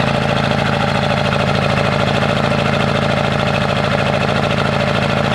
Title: 1997 Ford F-250 XL 7.3L PowerStroke turbo diesel rough cold start (bad injectors) 65 degrees